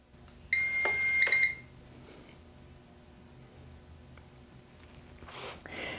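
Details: Starlink internet UPS battery backup switched on with 120 V input, full battery and zero load: a single steady high beep of about a second, then a quiet hum, which is the normal power-on signal.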